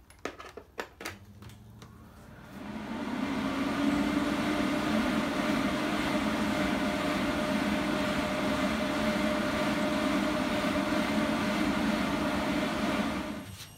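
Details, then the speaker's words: Systemair RVK 8-inch in-line booster fan (1080 m3/h) test run before fitting: a few handling clicks, then spins up to a smooth, steady whoosh with faint even tone; plenty of power, running normally. "we know that's got enough Chooch in it now it's got plenty of power"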